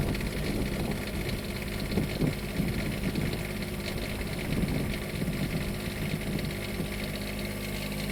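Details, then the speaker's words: Onan 7500 Quiet Diesel generator on a 2002 Jayco Avatar diesel pusher, warming up unloaded after a cold start following fuel filter, oil and air filter service: steady, even diesel clatter with no misses or knocks; normal idle. "I'm gonna let that warm up for a minute before I put it under load and turn the AC on."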